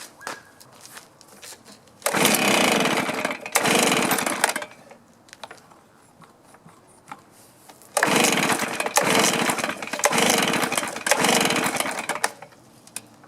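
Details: Stihl BR450 two-stroke blower before repair, customer complaint of dying after running, clean two-stroke fuel: revs in short bursts then sags to a faint sputter; carb low-side mixture suspected; won't hold idle.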